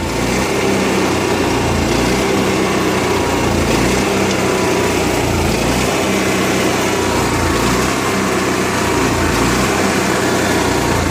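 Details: Onan MicroQuiet 4000 generator engine with clean carburetor, new air filter, good fuel pump flow and near-new spark plug: idle swells and sags every couple of seconds instead of holding steady; rough idle, cause not found.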